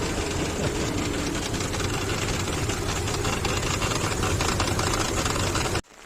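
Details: Infiniti QX56 at idle: loose, uneven knocking three or four per second from the front of the engine, persisted after the power steering pump was replaced with a used unit; the belt tensioner is rattling.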